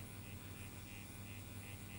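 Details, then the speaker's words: Bachmann V3 2-6-2 tank model locomotive at slow speed, controller untouched: thin motor buzz with soft pulsing about three times a second while it creeps unevenly and stops intermittently, motor still running; owner suspects wheelset binding, quartering ruled out. "she's creeping forwards as you can see but it's not all that smooth as you can see it stops for a second now it's inching forwards again"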